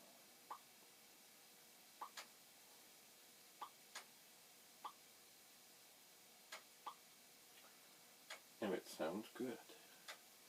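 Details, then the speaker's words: Commodore 1541 floppy drive formatting a disk (supposedly about 80 seconds) after opening it to fix a door that would not engage the hold-down mechanism: quiet, crisp head-step ticks every second or two, no grinding or knocking; formatting sounds normal. "it supposedly takes about 80 seconds to format a disk so it does so do this formatting"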